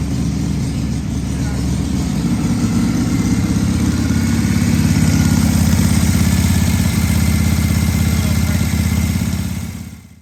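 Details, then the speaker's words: 1978 Harley-Davidson Shovelhead FXS Lowrider after tank cleaning, petcock rebuild, wiring and carburetor accelerator pump rebuild: deep, loping V-twin beat at steady idle, even and strong; normal running. "All right, so did a little bit more, a little bit of fine tuning there on the carburetor, get a little bit adjusted in there, and let's go take it out for a test run."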